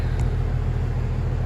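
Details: AC unit about three or four years old that is not cooling: a deep, steady hum with no healthy whir behind it as the compressor strains to start. The technician diagnoses a failed 45/5 run capacitor, noting poor airflow burns them out faster.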